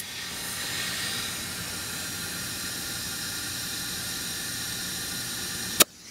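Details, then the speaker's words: Scrapyard Snapper mower, inflating a tyre with a tube: constant sharp hiss of air escaping at the hose fitting, steady for several seconds then cutting off; fitting needs Teflon tape. "sounds like I need a some teflon tape on that"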